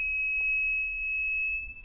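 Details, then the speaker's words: Reliable Electric WZRELB 3000W pure sine wave inverter (older model), inverter left on while battery is disconnected: single high steady beep lasts well over a second, then trails off as capacitors drain; normal capacitor discharge beep, little charge left. "very tiny amount of power still left in these capacitors so it's relatively safe at this point but notice the difference in the length of the tone when it was actually discharging"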